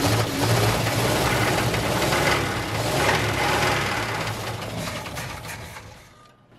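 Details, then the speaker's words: 1980 Oldsmobile Cutlass V8 that sat almost two years, running on fuel poured in: rough, uneven running that fades and dies; many vacuum leaks suspected, not confirmed. "probably got 10 000 vacuum leaks on it i wish it would run long enough to try and figure out where that sounds coming from"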